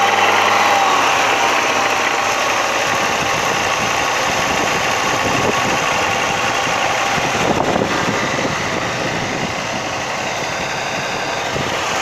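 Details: Audi 100 2.3 (NF engine): loud high-revving engine with a steady rapid knock under the roar, about three per second; knock appears from about 3000 rpm and up and is heard more clearly under load.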